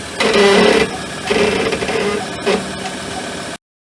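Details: Ford Endeavour (Everest) in stop-and-go traffic at crawling speed: tonal moaning squeal in three short bursts on braking, started after fitting rear pads ending 2200E; fixed with new pads ending V200C; rear brake pad squeal/groan.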